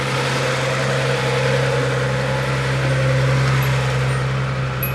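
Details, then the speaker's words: Z car warming up after a morning start and a leaking fitting re-tightened: a steady, even idle hum with no knocks or misses. The high idle has come down to closer to normal. "now it's running closer to normal it's not idling as high as it was"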